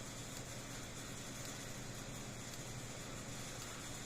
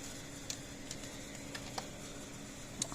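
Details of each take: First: About 35-year-old Blitzer 8555A solid-state fence charger, apparently worked on before: only a few faint, irregular snaps instead of a steady tick, firing intermittently; suspected internal transformer connection problem, not confirmed. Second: 35-year-old Blitzer 8555A solid-state fence charger after repair with transformer refitted, test bulb in circuit: sharp light ticks about once a second, bulb flashing, good output voltage; pulsing normally.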